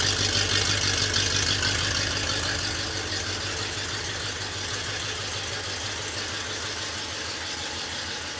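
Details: 1967 Oldsmobile 442 with original rebuilt 400 V8, points distributor and original carburetor, idles on the engine stand after rebuild with even, steady firing and no knocks or ticks; healthy engine.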